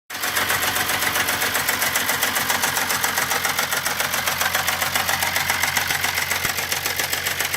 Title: VR6 ticking noise from cylinder head